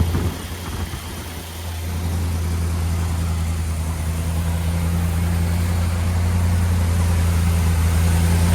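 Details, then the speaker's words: Big block Chevy with original points distributor, running on a used lifter over a wiped-out flat tappet cam lobe, starting to warm, oil pressure just under 70; deep, even idle rumble with no valvetrain ticking yet. "don't hear any valve tray noise yet. Been running for over. It's starting to get some heat in the motor."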